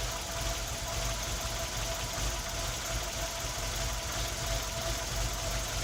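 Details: Tino engine misfiring at idle: rough, uneven idle with irregular low thumps breaking the rhythm about every second.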